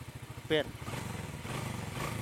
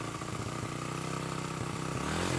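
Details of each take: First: Honda Karisma whose new carburetor still dripped fuel, cause found to be dirt: after setting the carburetor, a steady even low idle putter with a brief outside noise; running smooth and no longer dripping. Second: Honda Karisma motorcycle with new carburetor that still drips fuel: uneven surging idle pulsing about four times a second with lumpy revs; the air screw was left fully closed, carburetor never adjusted after fitting.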